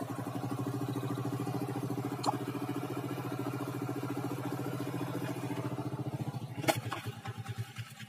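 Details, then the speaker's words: Honda Grand/Legenda single-cylinder motorcycle after cam chain replacement idles at a steady, even beat with no rattle from the top end. The earlier noise came from a worn or loose cam chain; normal idle. "sekarang mah gak terlalu bunyi ya guys gak terlalu berisik atau gak terlalu elektrik ya guys"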